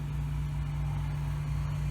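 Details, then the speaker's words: Ford 3000 diesel tractor with Select-O-Speed, reassembled after Simms injection pump plungers freed and injectors cleaned and tested: steady low even idle drone with no knocks or misses; running good, shifter cable and bands may still need adjusting. "but yeah it's running good now now it's all back together"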